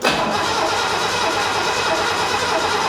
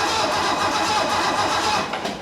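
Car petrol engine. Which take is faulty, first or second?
first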